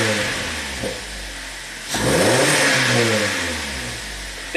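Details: 2011 Kia Forte with intermittent misfire and limp mode (P0336 crankshaft position sensor code), scope on CKP and ignition coil: engine rises cleanly from idle through a rev and settles evenly, no stumbles, cut-outs or misfires.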